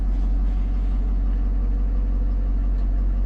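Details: 2011 or 2012 Ford F-350 6.7 Powerstroke diesel at cold idle with a deep rumble and a slightly lumpy beat; check engine light and a misfire, cylinder 7 fuel correction pinned at +0.353, the top of its range.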